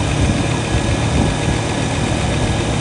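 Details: 1967 Lincoln V8, after a gas tank install, now running off the tank: big V8 idle with a fast, light tick riding over the rumble; quiet apart from a ticking valve lifter.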